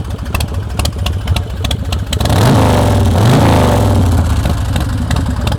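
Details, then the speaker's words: 2003 Swift Bar Chopper V-twin with Vance & Hines exhaust: loping idle about four pulses a second, then a clean rev rising and falling smoothly; fires right off, real good throttle response, no missing, smoking or engine noise; healthy engine. "Real good throttle response. No missing or smoking or engine noise or any of that stuff."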